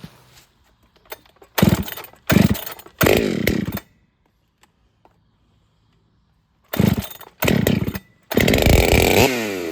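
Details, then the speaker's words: Ported Holtzfforma 395 chainsaw after build changes, first testing session, rings possibly not yet seated (165 psi compression); very quiet, screams in short bursts under cut with airy muffler hiss; owner feels muffler is restrictive, plans another muffler mod; runs strong. "It is a very quiet saw. It's not very loud at all. And it has this hiss to the muffler, I guess you could say."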